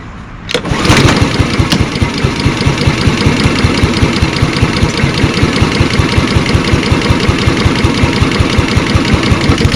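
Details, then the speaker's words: Walk-behind lawnmower, 2025 startup: pull-start catches into a quick chug that swells and dips; surging because the broken choke lever leaves the choke loose, vibrating itself back, otherwise runs fine. "So you can hear it runs good, but the reason it's surging is because the lever up here is broken. So as a result, the choke's kind of loose, so it's vibrating itself back."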